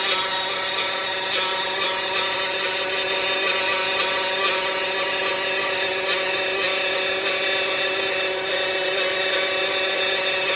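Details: 2015 Dodge Caravan, engine light on, no forward drive: steady high whine over the running engine, unchanging pitch; cause unclear, points toward transmission.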